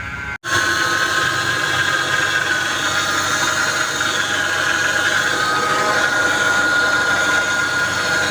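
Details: Mercedes-Benz R-Class (W251) with engine running: constant steady high-pitched whine over the idle, the power steering pump howling because power steering fluid is low; top up before worse power steering damage.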